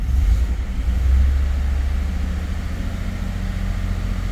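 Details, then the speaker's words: 2011 Ford F-150 5.0 V8, just started after a crank-no-start (no RPM signal; sensor or its connector suspected), lots of starter fluid used: deep idle lopes and surges unevenly, rough stumbling misfire on cylinders 5 and 6, codes set. "feels like it has a misfire I don't know if it's because they used a lot of uh starter fluid but at least it started and the truck is running kind of rough it's misfiring on number five and number six"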